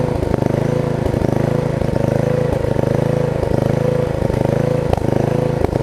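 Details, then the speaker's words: Murray rear-engine riding mower single-cylinder at steady fast idle with slightly uneven firing, burning off oil purged into the sump/air filter after the mower was turned over; blade brake also not working. "i got a bunch of oil in the sunk and so now it's sucking it up so i just need honestly it needs to just run for a while and run that oil that i purged out of the system so i'm gonna let it do that"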